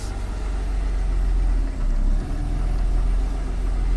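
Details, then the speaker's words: Audi A6 after replacing the power steering pump, formerly extremely loud when steering in cold weather: low steady idle that dips briefly as the wheel turns, with no pump whine; owner unsure whether the rpm drop is normal. "haben ja gestern noch zum Schluss die Servopumpe getauscht die war halt in der Vergangenheit gerade bei den kalten Temperaturen extrem laut also wenn ihr gelenkt habt so wie jetzt man sieht die Drehzahl geht immer noch ein bisschen runter aber das ist vielleicht normal"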